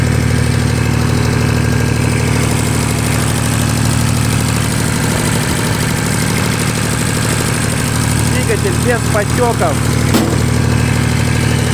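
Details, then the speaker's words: Shibaura SL1643 4WD Japanese diesel mini tractor at idle: steady, even low drone with a constant beat, no knocks or extraneous noises; healthy, even running. "их посторонних шумов сдаем работает ровно"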